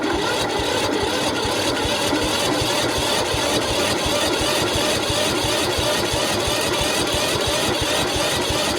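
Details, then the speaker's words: Toro Z4200 TimeCutter 54-inch zero turn mower, flooded in Hurricane Irma, parked about 2 years, cranked via screwdriver across bad solenoid with choke on: even chugging turnover, about three beats a second, no catch; struggling to start. "There you have it. Just turning over. So now get the thing ready, the choke on. Right. All right. That's not looking promising."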